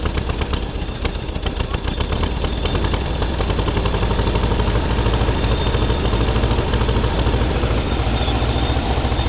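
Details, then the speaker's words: Air-cooled VW T2b pickup engine, unused for 34 years; it catches and keeps going with a lumpy, clattery low beat, uneven but holding; it was stopped soon because the oil is heavily fuel-diluted and running on risks damage. "34 vite. Çuna është gjallë, do të heqim vajin, sepse ka shumë benzinë. Nuk është mi ta vazhdojmë ta ndezim sepse dëmtoj motorin. Është gjallë, është super mirë."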